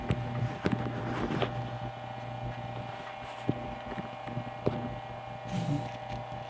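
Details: GE 78X233 fan motor after cleaning, re-greasing, oiling and rewiring head wires and grounded line cord, at 118 volts on medium speed drawing about 780 mA; steady low hum, smooth even whir, a few handling clicks, healthy.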